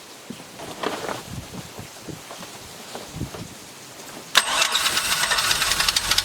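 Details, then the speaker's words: 1996 Chevy truck V6 in a 1994 MerCruiser ski boat, rebuilt with the boat engine's heads, cam and tight timing chain, first start: a few turns, then it fires abruptly and runs steadily with cooling water flowing. A clean, healthy first start. "Good for the first start. I thought I'd have to do nothing with the timing and all that old stuff, but you fired right up."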